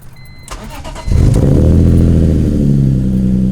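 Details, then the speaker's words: BMW E46 M3 on a hot day after cleaning work to fix rough idle, throttle lag and hard cold starts: fuel pump hums, starter cranks and engine catches cleanly first try, settling to steady even idle; healthy start. "that's a good sign that's a really good sign actually"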